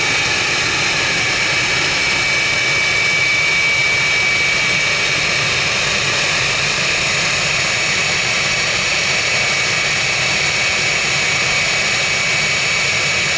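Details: Jet truck turbine, first start after winter, fuel pump worked on and clogged fuel filter cleaned: steady high roaring whine, constant piercing tone, even and unbroken; runs better than ever, normal turbine running.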